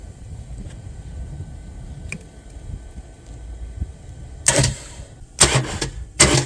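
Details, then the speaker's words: Mercedes Viano no-crank from rodent-damaged wiring: starter powered directly via its purple signal wire gives three short whirring bursts about a second apart, spinning freely, so the starter is OK; fault later traced to a relay. "so the starter it's okay now"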